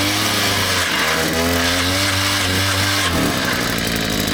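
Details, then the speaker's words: Two-stroke auger's buzz loads up and chatters, then pitch sags hard as it bogs while digging a post hole; it struck something solid buried, suspected to be a rock or root. "What do you think that is? Think it's a rock? Double. I was hoping that wouldn't happen."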